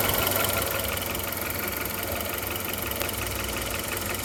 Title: Audi A2 1.4 AUA Ticking Noise